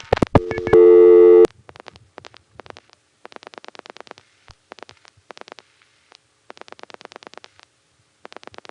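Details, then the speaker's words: 1975–77 Gotham Tandem exchange, call to Wadsworth 3 panel office: a loud steady tone cuts off, then bursts of fast even revertive pulsing as a direct-trunk failure, possibly a trunk flash, makes Gotham reroute via Amsterdam Tandem. "Maybe the trunk flashes, but in any case, that triggers Gotham to reroute it through Amsterdam Tandem 1. 21219. And so first you'll hear loud panel pulsing, then you'll hear Gotham rrooting using that same 7-digit revertive pulse protocol to put it through Amsterdam."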